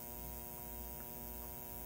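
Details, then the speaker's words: 1947 Sentinel 294T radio, speaker transformer troubleshooting with only four or five volts on the secondary: constant low buzzing hum with a faint high whine, unchanging; strong mains hum through the audio. "but listen to that hum you don't want that in a radio"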